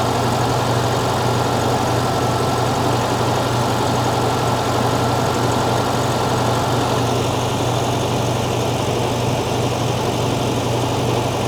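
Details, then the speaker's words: 1975 fuel-injected VW Beetle air-cooled flat-four after intake boot replacement, cold start with raised idle while warming up: even fast steady chatter, no misfire or stumble; engine sounds strong, valves sound good. "Well, you saw me work on this thing. Um, but it sounds strong. Valve sound good."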